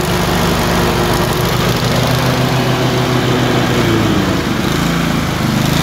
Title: Tecumseh 22HP surging - alternate misfire on each cylinder - random